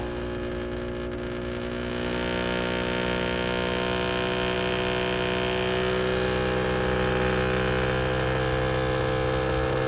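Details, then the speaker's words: Samsung WindFree 12000 BTU inverter split outdoor unit: loud steady droning hum with buzzing rattle that swells and stays heavy; strong vibration in the unit's own casing, reduced by pressing the side panel; identical units run normally. "é muito forte o barulho e é só essa máquina que faz esse barulhão as outras estão totalmente normais Só essa aqui"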